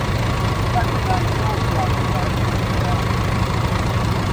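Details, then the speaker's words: DAF CF85 Euro 6 diesel after top-end knock repair: worn inlet camshaft, rocker arms, engine brake replaced, tappets adjusted, fresh oil; deep steady idle, even rumble, no ticking or top-end knock, slight exhaust blow. Normal idle. "Bar that exhaust blow, I think it actually sounds alright. Where is it? Just so you don't think we're bullshitting, it starts. It sounds alright."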